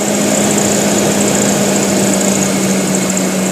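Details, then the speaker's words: Kembara with HC engine, idle set via vacuum adjustment to about 900 rpm, fixing rpm dropping and near-stall with AC on: smooth, even hum with AC on, holding about 1000 rpm without hunting. "saya rasa ni cukup oke dalam 1000 sit lagi BR atau kita set 900 pun boleh juga BR"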